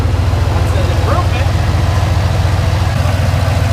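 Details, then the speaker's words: Junkyard LQ4 6.0 V8 from a Silverado 2500 in a Foxbody Mustang, after oil pan dropped again for oil-pressure problems (suspected oil pump pickup sucking air), hot: even deep idle pulsing about 3.5 times a second, quiet, no knocks; normal hot idle. "and it's hot right now and it's quiet"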